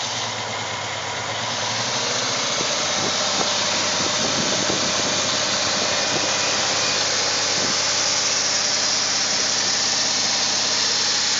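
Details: 2001 VW Jetta GLS VR6 12-valve idling with a loud hissy wash over an uneven, stumbling beat from misfiring cylinders, then revved.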